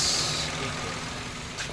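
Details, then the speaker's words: Mitsubishi Mirage with 26,000 km, after replacing the failed alternator bearing and the deeply grooved belt: petrol engine idling smoothly and evenly, the earlier noise gone, no squeal, whine or rumble from belt or alternator. "Okay start ikumpara po natin ngayon kaya yung kanina mga sir Oh wala na yung ingay niya"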